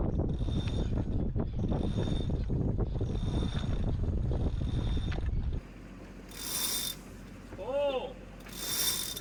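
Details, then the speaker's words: Lewmar self-tailing sailboat winch, not under load, turned by hand: crisp, regular click-click-click about four a second as the drum spins freely; pawls engaging cleanly, winch in good repair. "A winch in good repair, not under a load, should turn easily by hand and make an audible click, click, click sound."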